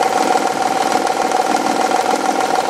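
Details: Honda/Acura V6 at idle; fast light ticking knock that seems to come from the rear bank cylinder head, going away once warm. Faulty timing belt tensioner; replacing it removes the noise.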